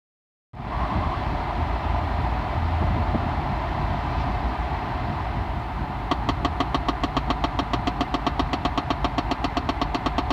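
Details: 2011 Chevy Impala LT at steady idle with a sharp, even knock about four times a second behind the glove box; it stops when air recirculation is switched and keeps knocking for a minute after shutoff.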